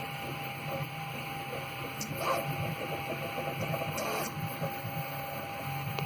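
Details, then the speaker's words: Prusa MK3S, possibly the owner's first printer, over 1.5 years old: light, uneven rattle over stepper buzz when the X-axis moves fast, loose play in the X-axis; new Prusa X rods are on order. "The X-axis, when it starts moving fast, you can hear it rattle."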